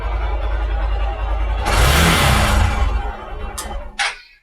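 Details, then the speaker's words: Hero Xpulse 200 single after water drained from tank and entire fuel system: starts, idles, revs hard and drops back smoothly; previously died as soon as throttle opened, now no stumble or cut-out. "so the bike starts up and earlier i was having the problem as soon as i cracked the throttle open the engine died and now it's no longer the issue"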